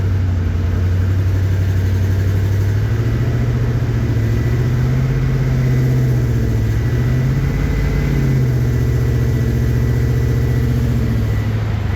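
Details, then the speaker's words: 1954 Chevy 3100 V8 after the radiator was filled and an OBD code cleared: steady, even low rumble with no misses or stumbles, all cylinders firing cleanly; normal idle. "Sounds a lot better. There we go. There you go. Yeah. That sounds really good."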